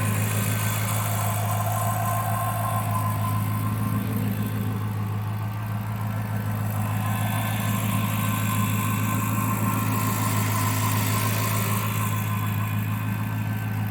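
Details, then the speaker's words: Chrysler 300C HEMI V8 idling after dropped-valve-seat repair, deep steady smooth pulse with only faint light ticking up top, which is the fuel injectors; engine runs clean and smooth. Normal idle. "this engine sounds super smooth considering everything that happened to him [Applause] all you can hear up here is the fuel injectors that's it"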